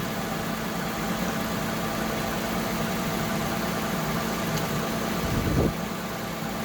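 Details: Lexus ES350 / Toyota Camry 3.5 V6 2GR-FE, after alternator replacement, left running while checking coolant: quiet, smooth idle with a steady hum, no ticking, knocking or belt squeal; normal.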